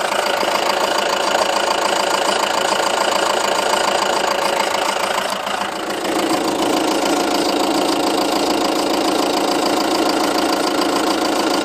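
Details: 2007 Seat Leon 2.0 TDI 140, 30k on the clock, just had cam belt, water pump and major service, idling stationary: light fairly even tick about three a second, heard mainly from nearside front wheel arch, not with bonnet open; cause unknown.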